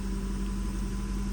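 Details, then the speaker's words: Jaguar XF 4.2L idling after thermostat housing replacement, no engine light; short, steady, even idle with firm low hum, no knocks, ticks or hunting – healthy. "no uh engine light I'm going let it idle for a little minute sound good though"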